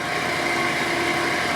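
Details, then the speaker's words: Miller 330 A/BP welder with cooler running: steady hum with fine rattling chatter from dry cooling fan motor bearings, radiator removed; bearings to be serviced. "it's got a kind of a a rattling sound so I'm going to give it a second see if we can get into some streeing all right I have the radiator off right now it's still kind of here it's not steing yet but those bearings are dry"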